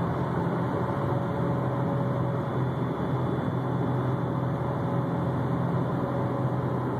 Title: 2004 STI whining humming sound